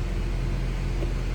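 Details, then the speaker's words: 2012 Honda CR-V 2.4L, 143k miles, started after swapping in a reman starter, refitting the intake manifold and cleaning the throttle body: catches right away with an even, steady low rumble, no grinding, and settles into a smooth run. Normal engine start. "I'm just gonna start the car. Wow, it starts up right away."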